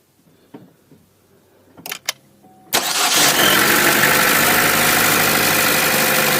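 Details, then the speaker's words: 2014 Chevy Cruze Ecotec, crank-no-start, after cleaning the poor-contact seven-pin coil pack plug with electrical contact cleaner: short crank, catches at once and settles to an even idle; fault was the plug, not the coil pack. "i cleaned it with contact cleaner that seems to be what it was now we know what the issue is it's not the coil pack"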